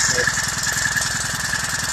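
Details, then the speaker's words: Honda GXH50 49cc four-stroke, unrestricted with Honda flywheel and ignition coil, run before the clutch install: crisp and even, a fast steady pulse with no knocks, misses or rattles; sounds healthy. "It's spinning. Oh, it sounds so nice. Listen to that. Yeah. That's the way the motor's supposed to sound like."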